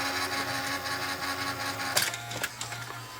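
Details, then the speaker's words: Toshiba Betamax VCR revived after about 40 years, part re-glued: even mechanical whirring and light clicking through search, rewind and fast forward, slightly noisy at first then settling; normal tape transport. "You can see things are moving along pretty good. It's a little bit noisy there at first, but it's starting to settle down."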